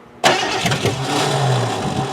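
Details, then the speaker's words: 1988 Ford Crown Victoria, fuel injected, sat about 5 years, catalytic converters cut off: starter cranks steadily with a couple of brief sputtering catches, loud through the open exhaust, never runs; cranks and sputters, no start. "oh we got a little sputter there that's a little bit more of a sputter"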